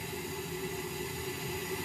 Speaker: I'm gonna go with gas valve because that drop was moving very slowly, only by about half a millibar, and the fact that I'm not actually even hearing the initial ignition when you hear the little boom, not